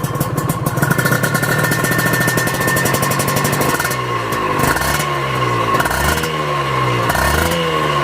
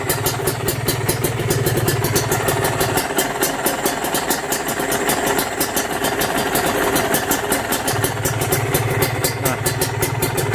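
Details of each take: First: Honda NSR two-stroke, smooth at idle, revved hard: dry hissing rattle under exhaust note from worn crankshaft main bearing (needs replacement), heard when checking a used bike. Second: Used Kawasaki Ninja RR/SS two-stroke engine at idle, evaluated as a pre-purchase check: steady, even, crisp crackle with a slight hiss and no knocking, indicating a healthy, tight engine block.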